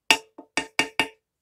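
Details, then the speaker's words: Knuckle taps on a Technigas E-Nox motorcycle exhaust silencer during maintenance give a dull, dead knock with little ring rather than a hollow sound; owner concludes it must be heavily carboned and plans to decarbonize it. "Normalement, pour savoir si calaminé on fait ça. Et là, vous voyez, il sonne pas creux, quoi."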